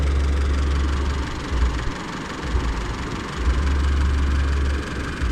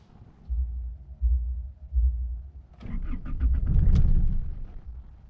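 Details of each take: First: Isuzu D-Max (older model) diesel, warm engine after hard hot-start fix with temperature sensor plug pushed back in: idle back to normal about 900 rpm (rose ~100 rpm when unplugged), low steady rumble, no knocking; runs smooth. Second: Old-model Isuzu D-Max diesel, hot after driving: slow, uneven cranking that never fires. It starts easily when cold but not when hot; the owner suspects the temperature sensor, SCV valve or rail-end pressure sensor, unconfirmed.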